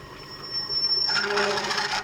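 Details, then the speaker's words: Lathe machining an aluminium gear knob for a Kawasaki GT550 bobber: harsh, high-pitched buzzing squeal as the tool bites, leaving an uneven, chattery cut; lathe tool chatter. "Let's have a look at the cut is making. Yeah, it's pretty uneven and chattery."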